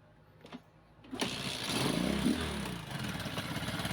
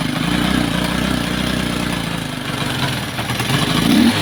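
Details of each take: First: Kawasaki Boxer after fixing the 4-pin CDI conversion and timing, nearly out of fuel: single starter whirr, engine catches cleanly and settles into a steady beat, no longer gasping; normal start and idle. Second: Kawasaki Boxer converted to a Lifan 110 4-pin CDI done incompletely: rough, uneven putting that stumbles, sags and nearly dies before catching, running like a horse; misfire from incorrect CDI conversion.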